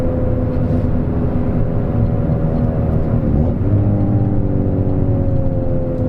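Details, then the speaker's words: Peugeot 206 after replacing sway bar link, coilover and top mount with new bearing to cure clunking over bumps: steady road and engine hum while driving, no clunks or knocks; front suspension quiet, everything seems good now. "woohoo everything seems pretty good for now i don't hear any noises"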